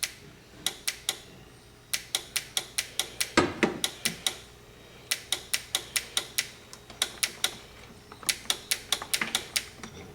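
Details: 1997 Toyota RAV4 horn relay 86530-20070 chattering, sharp dry clicks in bursts of about five a second from the relay box; the car would not start, no dash lights or horn.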